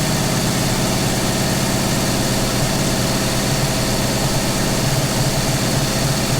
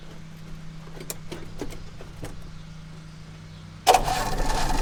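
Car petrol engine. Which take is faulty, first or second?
first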